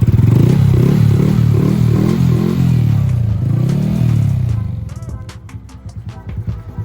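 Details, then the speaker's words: Honda Grom after cam chain and cam chain tensioner (new OEM) replacement; brief rev settling to a steady, even idle with no top-end ticking, only plastic rattle; normal idle after repair. "Running valid. No ticking noise. That's just plastic noise if you hear that, but there's no engine."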